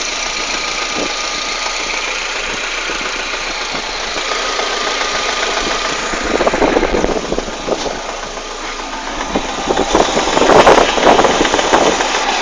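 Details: Citroën Saxo 16V idling: irregular tapping and knocking that grows more prominent partway through; abnormal engine noise at idle, source unknown.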